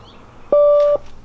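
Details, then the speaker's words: S12 during battery relocation wiring, key in ignition: a single clean, steady half-second beep. Key-in-ignition warning chime. "Key is in the ignition. Key is in the ignition. That's because I put it there."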